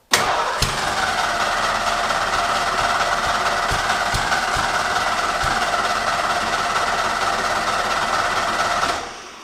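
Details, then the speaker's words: Long-stored vehicle, battery showing only 11 volts, fuel pump switched on: catches and runs unevenly with irregular pops and stumbles over a raspy note; owner suspects old varnished fuel needing heat to smooth out. "it took actually running the car like basically on starting fluid until it could build enough heat in the cylinders to actually ignite the old fuels that's probably what we're going to encounter here"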